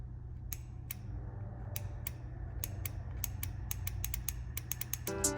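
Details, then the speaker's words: Relay from a 2023 Kenworth W900L with fuel issues, powered through the harness and held to the mic: crisp repeated clicks about three per second. This relay is good; the corroded one does not click and failed. "that clicking? This relay is good"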